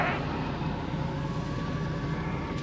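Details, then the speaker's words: 2004 Chevy Express 4.8 V8 idle after engine knock diagnosis: quiet, even low idle with soft steady rumble, no knock or tapping; normal idle. "el asunto es que aquí está el resultado de un diagnóstico acertado verdad no se escucha nada el motor como pueden oír ustedes"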